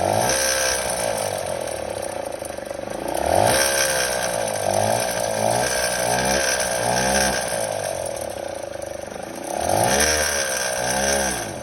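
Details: Kymco Super 8 50cc two-stroke scooter with Naraku derestricted variator and 8 g rollers: rough rattling, ratchet-like clatter swelling and fading with throttle, worse on deceleration; scooter also bogs while driving. Abnormal mechanical noise, cause unknown.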